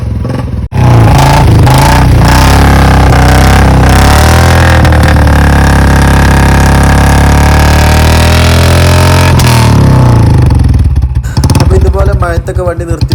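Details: Motorcycle after draining water from the carburettor through the bottom drain with fuel on; engine picks up cleanly and holds a strong, smooth rev that rises and falls without misfires or popping; normal running after fix.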